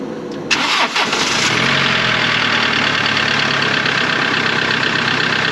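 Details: Mercedes Sprinter work van diesel after a new alternator was installed and the belt retightened (17mm); short crank, catches quickly, settles into a steady, even idle with no misses or knocks, a normal idle.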